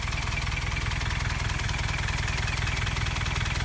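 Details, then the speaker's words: 1990 Toyota Pickup 22RE with LCE head, ceramic pistons, first start after rebuild, running two clicks rich, steady PCV vacuum, thermostat apparently not yet open: steady, even four-cylinder idle, no knock, tick or miss; idle seems good. "Idle seems to be good."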